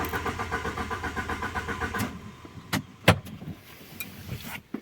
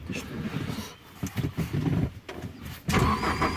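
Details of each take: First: Alfa Romeo 147 Twin Spark eco, 105 hp, died suddenly while driving, no fault codes: starter cranks evenly about five beats a second for two seconds, engine never fires; no fuel, dead fuel pump. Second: Alfa Romeo 147 Twin Spark 105 hp with crank-no-start after stopping mid-trip, fuel pump heard after refuelling: uneven cranking for a few seconds, then catches and settles into a steady run; starts normally.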